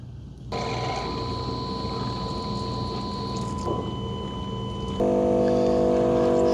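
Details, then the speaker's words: Dreame L10S Ultra Gen 2 robot vacuum-mop back at its dock after first mopping pass: pumps kick on and mop pads spin for hot-water washing. Steady pump hum and tonal motor whine, then louder spinning note as pads wash: normal mop-wash cycle. "Okay, it's going to return to the dock, wash the mop pads with hot water, then it's going to suck the dirty water up into the dirty water tank. Okay, what you'll hear is a series of pumps kicking on, and it's going to spin the mop pads."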